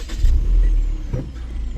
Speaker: Franchement, ça démarre super bien maintenant. Je suis trop content.